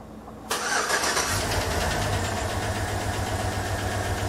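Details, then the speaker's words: 2007 GM 5.3L V8 with AFM/displacement on demand: cranks, catches, then idles with a sharp steady tick about four times a second from a collapsed lifter. Finding: collapsed lifter tick. "to hear that ticking so that ticking is the lifter"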